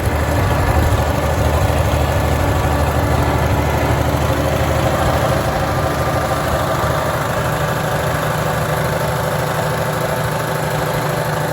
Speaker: all right gonna let this thing run for a while hopefully it stays running sounds good